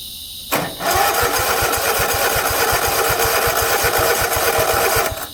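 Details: 50-inch Cub Cadet zero turn that sat a while catches on a shot of carb cleaner and runs at a fast, steady patter for a few seconds, then cuts out: the battery-powered fuel shut-off solenoid at the carburetor gets no 12 V power.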